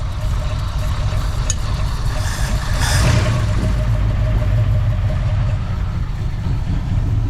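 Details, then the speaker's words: 1966 Ford Fairlane 390 FE V8, 4-speed, first run in 20-plus years after an Autolite 4100 carburetor rebuild and reconnecting the coil wire: a deep, steady rumble with a brief rise, then an even run, though idle is too low and not yet adjusted. "Purr like a kitten now. I mean, that thing is idling. I mean, that's way low. I'd actually want it to idle a little faster than that."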